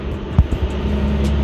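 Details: RB25DET Neo idling after LS1 alternator swap (CWC kit) replacing squeaky unit, confirmed charging 14.3 V: steady even low idle hum, no belt squeal or chirp; charging system quiet and healthy.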